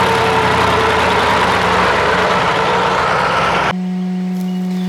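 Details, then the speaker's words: 1979 Ford LNT9000 with a 12 V Cummins V8 diesel, climbing a hill: steady low drone that abruptly dies under load; owner suspects a fuel block, either low fuel or a blocked filter, unconfirmed; engine stalling. "She just got a fuel block. Just right when I went to turn the camera off there, she stopped coming up that hill."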